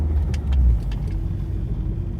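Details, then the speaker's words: 2006 Nissan Altima on a drive after a misfire fix (coil pack or spark plug suspected); smooth even pull with low steady drone, no jolting, much more power, flashing check engine light stopped — normal running. "Oh much better no more jolting oh wow it's got a lot more power than before that's for sure"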